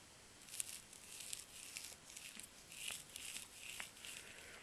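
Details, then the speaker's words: Forklift battery link cable flexed by hand with no motor running: sharp irregular crackles and ticks and a bumpy, not smooth feel, indicating corrosion built up inside the battery link. "you can hear that noise that's an indicator there's a problem in there it also feels just it's not smooth put it like that a little bumpy"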